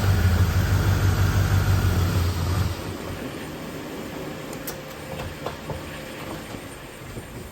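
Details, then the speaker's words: 1989 Pontiac Trans Am GTA, 5.7 L 350 TPI V8, about 35,000 miles: starts and idles fine, then drops in speed and stalls within seconds when put in drive or reverse with the air conditioning on; cause unknown. "Okay, that's what's happening. You put the car into drive or reverse and it stalls, especially if the air conditioning is on. That is obviously putting a strain on the motor."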